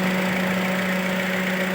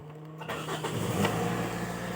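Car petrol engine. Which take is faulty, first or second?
first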